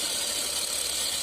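A thin high hiss and faint whistle sit steadily over the idling engine, pointing to a noisy turbocharger.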